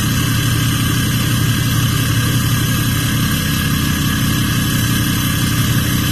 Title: @6.7lopez 2017 6.7 Dually Cummins loud high idle turbo whistle!